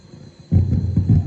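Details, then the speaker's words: Soundcraft Signature 16 mixer under repair: quiet output breaks into a deep lumpy hum and rumble when the effects control is turned; it should be silent, a fault common to this model. "นี่ปกติหมุนจะต้องไม่มีเสียงนะแบบนี้นะหมุนจะต้องไม่มีเสียงนะครับอาการเอาการเนี้ยเป็นอาการของรุ่นนี้แหละนะครับ"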